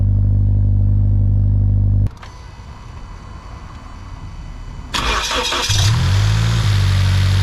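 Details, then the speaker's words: 2013 Scion FR-S with a swapped 1JZ-GTE VVTi turbo engine at idle: deep, even hum, cuts out, then restarts and settles smoothly. Normal healthy idle; a small knock at high rpm, said to be piston slap, is not heard here. "So yeah, the motor, I mean, overall idling sounds really healthy. It runs, it works."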